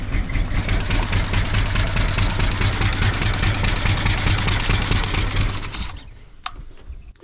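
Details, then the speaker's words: Wrecked 1974 Ford F100 parked for years, preliminary run: low, lumpy idle with uneven thumping pulses, shut off after about six seconds; owner says it needs a severe tune-up, probably plugs, compression unknown. "All right, well, this thing runs, so that's good. Halfway idles. I know this thing needs a severe tune-up."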